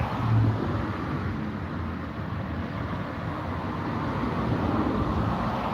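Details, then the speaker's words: Late-2018 Samsung WD80M4B53IW direct-drive washer dryer in service-mode spin test: steady deep rumble from spinning drum; worn drum bearings suspected, though on further listening they sounded fine, unconfirmed. "Service mode. I end the spin one. I still got an eight and you can hear the bearings."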